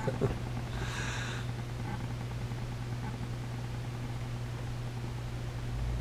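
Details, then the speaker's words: Fender Deluxe Reverb reissue tube amp, power tubes rebiased to about 22 mA each (from 35) with different tubes fitted. Steady low hum with a short high twittering chirp; the technician suspects a lead dress issue. "A couple little gremlins here. Hear that? No, that's not a cell phone."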